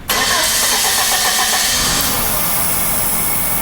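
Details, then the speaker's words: 1990 Nissan pickup, no-start diagnosed as no fuel with the fuel pump removed: brake cleaner is misted into the intake and the engine catches within a moment of cranking and runs steadily on the spray, confirming missing fuel delivery. "you want to mist it yeah crank it right if you see it doesn't fire yeah do it again alright I'm going to spray it with braking crank it"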